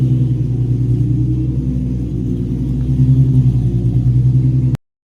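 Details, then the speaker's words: Free Nissan 350Z parked for scrap, first start with good fuel pressure and voltage, cooling system not connected: deep even idle rumble with no stumble, miss or knock until shut off; engine runs normally. "We got some stuff to hook up, but she's a runner."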